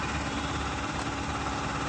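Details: Mahindra Supro BS6 diesel idling steadily after a no-start fix: a faulty six-month-old replacement motor was swapped back for the original and codes moved to history. Smooth low rumble, no knocks or misses, check light gone; normal idle.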